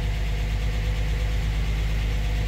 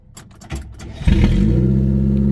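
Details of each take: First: 1949 Armstrong Siddeley Lancaster, first start in a year, warming up with choke about three-quarters out, oil pressure good: smooth, steady low tick-over with even beat, no knocking; normal idle. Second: 1949 Armstrong Siddeley Lancaster, first start in about a year, new distributor fitted: clicks and cranking, then fires into a loud, raw, throaty rumble because the exhaust has been removed.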